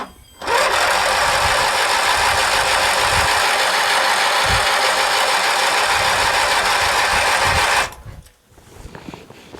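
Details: Craftsman LT1000 lawn tractor, Briggs 19.5 hp opposed twin, sat over winter with bad gas and water in the tank, after new fuel filter: starter churns steadily about seven seconds without catching; cranks but won't fire, later started with spray in the carb.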